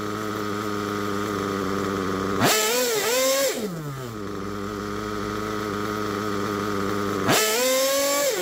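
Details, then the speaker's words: Worn Picco P3 DLC nitro engine, almost 10 gallons run, new bearings and con rod, damaged sleeve and block, worn crankshaft: high buzzy idle between two sharp revs, wavering slightly; temperature good, idle holds but far from perfect; rear bearing may fail soon. "well I think that it's running pretty good the temperature is good it's holding the idle"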